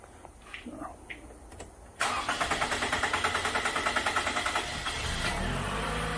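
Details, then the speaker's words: 2014 Toyota Camry four-cylinder with P0171 system lean code, fuel pressure gauge teed into the rail line; long crank about three beats a second before it stumbles and catches rough, hard start from low fuel pressure, about 23 psi versus roughly 40 expected. "Uh, I'm thinking that's low. I would expect to see probably somewhere around 40."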